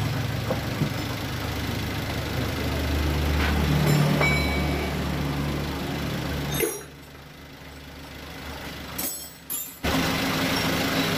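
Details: Toyota Avanza brought in weak and using too much fuel, after repair: steady, even low idle hum with no knocks or misses that then drops away; power now noticeably better; normal idle.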